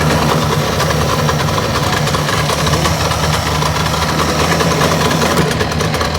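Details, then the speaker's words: 1962 Johnson 75 hp outboard with electromagnetic shift, after points cleaning, fuel pump rebuild, timing adjustment, new plugs and coil: loud, lumpy, stumbling idle; owner suspects burned, scored reeds and thinks new reeds would help. "i'm really thinking that the idol is is rough on this and uh i think new reads would help"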